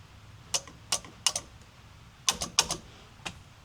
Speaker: All right, got the horn. I got the battery plugged back in. Let's see if it works. Oh, yeah. I hear the the relay clicking.